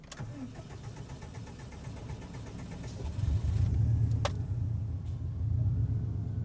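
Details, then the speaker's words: Subaru with AEM E85 fuel pump that starts poorly when hot, less so cold; starter grinds for several seconds before the engine catches and settles into idle; long crank from a weak fuel pump. "you hear how long that took to start I'm running into an issue here where it is has issues starting hot it doesn't have issues starting cold"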